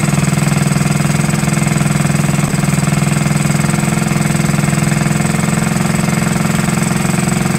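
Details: 1969–70 Honda Z50 minibike idling after 35 years unused, with idle air being adjusted, points and carburetor not cleaned; steady, even low putter at about three beats a second, no misses or knocks, clean normal idle.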